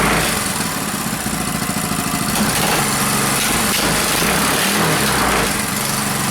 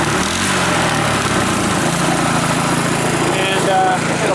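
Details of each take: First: Reassembled Powerfist single-cylinder petrol engine just after first start following reassembly, on choke, cold day; fast busy buzz holding steady with slight wobble, running well. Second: Rebuilt Powerfist small petrol engine idling far too high, set via carburettor idle screw, fuel shut off to run dry; fast steady idle with rough rattle.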